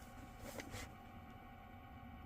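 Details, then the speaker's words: Ducted 18K mini split indoor unit, upstairs, blower motor with worn sealed bearings that cannot be oiled, needs replacement: steady low hum with a thin constant whine on top. "you hear that that is the bearings for that motor and it's sealed bearings so you cannot oil that motor we've got to replace it"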